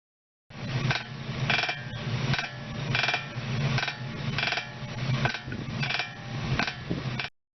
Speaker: In reality, this squeaking noise does not occur directly inside the joint. A slight vibration occurs at the joint first and the vibration is amplified and connected apart resulting in noise.